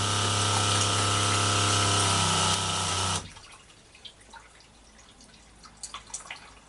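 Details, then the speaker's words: Boat water pressure pump rebuilt with new diaphragms, tap shut: hums steadily about three seconds then cuts out abruptly, only drips after; pressure rises then drops off, so it short cycles, cause unknown. "if we shut the sap it goes up to pressure and then drops off a bit not sure why it should do that but it does so if I now turn it on so it's cycling that's not good enough"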